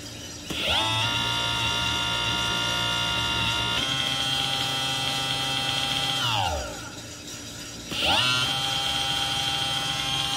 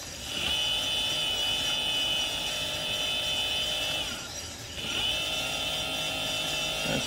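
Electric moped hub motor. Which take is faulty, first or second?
first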